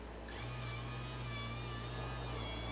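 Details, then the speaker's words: Rolls-Royce semi-automatic power antenna after clutch, worn tracking wall and gear lubrication repairs: even motor hum with a steady high whine as the mast extends smoothly; clutch click at the end is normal. "all right very happy antenna and of course you hear the clutch click that's normal because this is a semi-automatic antenna and doesn't stop until you take your finger off the switch"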